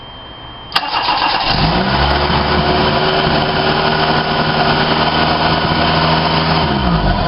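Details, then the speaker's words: 1990 Toyota Tercel 3E 1.5 engine, first brief start after head gasket replacement and timing belt install, no coolant or water pump fitted: quick crank catches in under a second, then a steady, even idle with no knocks, misses or surging. "so we're just going to just fire it up not going to run it real long cuz we don't have any the water pump there's no Cooling in or anything so we're just going to to fire it up"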